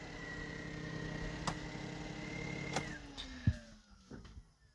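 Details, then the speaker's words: Wrecked 2012 Smart Fortwo Passion starting after battery reconnected, following transmission hunting for neutral: small engine ticks over evenly with a light whine, revs easing down smoothly; runs pretty good, normal idle. "oh there you go see star chart up runs pretty good"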